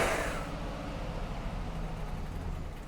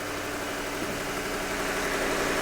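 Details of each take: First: Abandoned Chevy with a rusty ancillary belt noise idles roughly, a faint uneven rumble that sags and struggles to stay running; rough idle, cause suspected as a weak battery or the alternator not kicking in. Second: Ford V8 Crown Victoria ex-City of Cincinnati police car, abandoned in a garden, started on a very hot, humid day; an even, slightly lumpy idle with a quick blip, running steadily after storage; normal idle.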